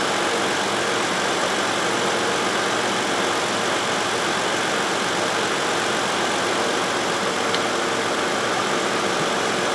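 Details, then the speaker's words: 2011 Toyota Sienna 3.5L after cooling fan replacement, idling with AC on: both radiator fans run smoothly with a constant airy rush, no wobble, rubbing or ticking; normal cooling fan operation. "hey those fans are running that's a good thing not wobbling all over the place the AC's on that's why"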